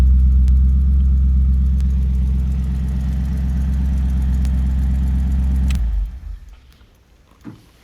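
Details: 1969 Chrysler Newport big-block V8, engine built five years ago with mild street cam, aluminum intake, Holley carb rebuilt two years ago, full tune-up, glass-pack exhaust: deep, throaty burble holding steady and clean, then cutting off sharply; healthy running.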